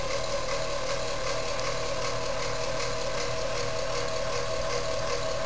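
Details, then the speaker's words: Rare gear-driven ceiling fan run with only two of four blades; loud steady gear whir with rhythmic whoosh about two and a half times a second, noisy but running normally. "It does have all four blades, but I thought I would just kind of give it a little whirl with only two blades."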